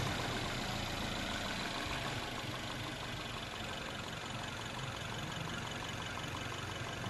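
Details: Normal family car engine, as checked when inspecting a used car for abnormal engine noises: even, steady idle with smooth low rumble, no knocks or ticks; healthy.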